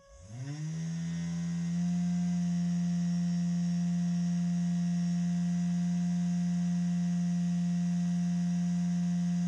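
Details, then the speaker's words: Chinese CNC 3018 Max spindle after replacing the Z-axis linear bearings: spins up in about two seconds to a steady low hum with faint ringing; quieter than before but not silent, spindle bearings likely also need replacing. "it's not silent but it's much less morality is also need to change bearings"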